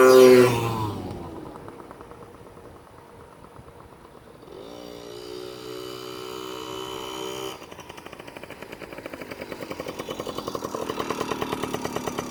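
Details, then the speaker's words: Yamaha PW50 two-stroke, revived after years in a shed, test ride: crisp buzzing revs up and down, climbing cleanly with throttle, no misses or bogging; runs healthy and fast. "yeah she runs good well that's pretty much a wrap for the PW50 she's up and running beautifully awesome she's pretty fast too"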